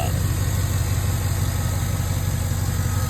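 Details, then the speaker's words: 2011 Cadillac Escalade 6.2L V8 with AFM, 178 miles, previously had a loud lifter tick. On day two after Marvel Mystery Oil, Sea Foam, an AFM disabler and hard freeway pulls, it idles smooth and steady with no ticking. The owner believes the stuck lifter is freed but isn't sure it will hold. "I think I did it fellas I mean I'm still crossing my fingers that it's going to hold and the noise is not going to come back but I think I unstuck that bad lifter"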